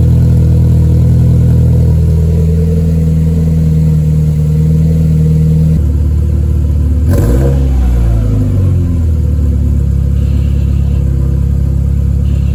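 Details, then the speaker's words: Cold start warm-up after a long time off the road, once reversed fuel lines were corrected: steady low drone with a brief rev blip, settling to a smooth even idle; healthy. "get the interior all put together mostly enough to start the car. So now we finally hear a cold start."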